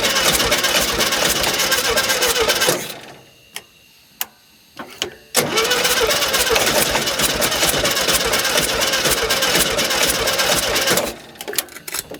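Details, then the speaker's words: 1971 early-bay VW bus flat-four, air cleaner off, pedal held down to start: rough, uneven running that dies away with loose clicks, then picks up ragged; carb dumping raw fuel and flooding. "Alright guys, well, the problem is that it's getting a bunch of raw fuel just dumped down in there."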